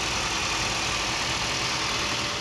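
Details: 2008 Honda CR-V, 163,000 km, after starter-cranking fault (starter only clicked): steady, even idle with a smooth hiss on top, no knocks or misses; engine running normally and alternator charging.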